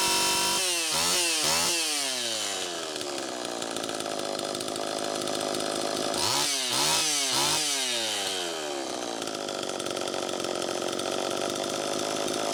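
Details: Homelite Super EZ chainsaw after crank seal replacement, carb settings unchanged; screams at high revs and hangs, surging instead of idling.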